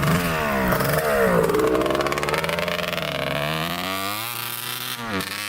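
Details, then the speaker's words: 1989 Kawasaki KX125 two-stroke dirt bike on its first ride after new power valves and head gasket repair, silencer needing repacking; revs rise and fall unevenly, bogging badly. Owner suspects the pipe is plugged again, possibly by another power-valve piece. "it's doing the same thing sounds like it's like bogging down really bad"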